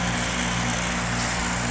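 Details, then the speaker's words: Amana AC condenser freezing up, compressor running but fan not turning until pushed, then not at high speed: steady low electrical hum from the compressor with only a weak, sluggish fan whoosh; fan capacitor suspected, replaced afterward. "It looks like the fan will kick on, but maybe not at high speed. But you can see it's starting to defrost."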